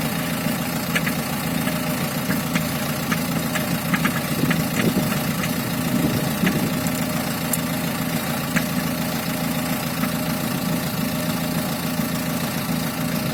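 Diesel idles with a steady low rumble and sharp ticks on top at an uneven rate; a knock of unknown origin.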